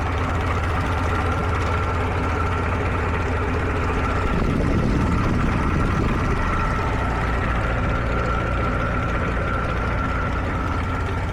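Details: Warm 1947 Farmall H tractor, just converted from 6 to 12 volts with a new generator belt and radiator hoses, on a temporary fuel can: steady low, loping idle about two and a half beats a second, even and unbroken; oil pressure good, healthy.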